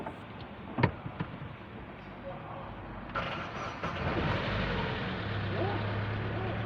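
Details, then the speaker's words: Chevrolet Aveo after fix: snapped EGR flex pipe (bracket lacked a screw, vibrated) refitted; had raced to high RPM on expressway. Now starts with clicks and a thump, holds low steady normal idle without hunting; old check-engine light left unscanned. "dito guys, umandar na ng ayos. Ayan, nasa tamang level."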